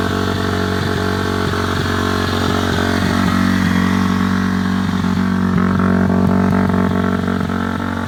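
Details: Cold 2006 Honda CRF250F single at about 25°F, before teardown; steady even idle thump with a quick throttle blip picking up cleanly, starts and idles good, healthy engine.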